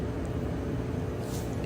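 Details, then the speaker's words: Whirlpool gas dryer after belt replacement, drum spinning again: steady low rumble with even drone and no squeal, thump or scrape; normal drum rotation. "and there you have it a dryer that's spinning now belt has been replaced and everything is"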